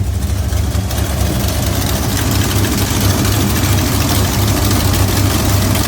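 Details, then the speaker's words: 1971 Dodge Demon, rebuilt 1974 318 V8 with 273 heads, replaced cam, Edelbrock intake, Holley 750, after cold start: uneven lumpy idle with raspy ticking puff each firing pulse; headers leaking at cheap kit gaskets, to be replaced. "I do have headers are leaking. I used those cheap gaskets that came in the kit."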